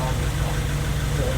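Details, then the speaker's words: Honda Civic freshly rebuilt D16Y8 engine on regular 10W-30 break-in oil, running after first start, no leaks: smooth, even engine note, steady low drone, no knocks, ticks or misses; sounds very healthy, normal running. "But so far so good, man. Everything sounds good."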